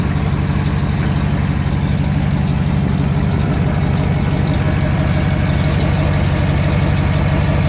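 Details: 2008 GMC Sierra 1500 Denali, L92 6.2L V8, resonator delete, cold idle; steady low rumble with puffing tick about twice a second from an exhaust leak just before the secondary catalytic converter: exhaust leak.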